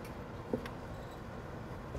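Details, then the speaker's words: Voltage-sag demonstration on control equipment: supply held at 0 volts for 10 cycles, the AC relay gives two sharp clicks over a low panel hum while the DC side and PLC keep running. "you still still hear the ac relay clicking our dc side's okay"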